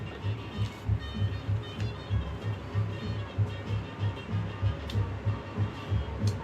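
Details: Kawasaki KZ900 test-started following a loud clutch-side noise on the road: steady, even low thumping about three beats a second, no clatter or slipping; normal idle.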